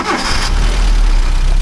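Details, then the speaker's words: 1985 Mazda ute after changing the one-piece points set, started with choke and an accelerator tap so the vacuum idle diaphragm pushes the idle up; steady low idle with slight bounce after a blip, firing evenly — normal idle, semi-blocked idle circuit suspected. "See now, as soon as that idle diaphragm picks up, as soon as the vacuum valve there picks up, it pushes the butterfly open, or pushes the idle mechanism further forward, and that gives it just a little bit of a kick. So it's running, as you can hear, it's running pretty damn good."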